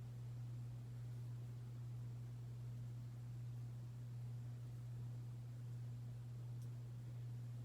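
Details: Hampton Bay Cameron II Plus 52-inch ceiling fan from December 1999, medium speed: steady low electrical hum at one fixed pitch, almost no other sound, from a bad capacitor making it run slow.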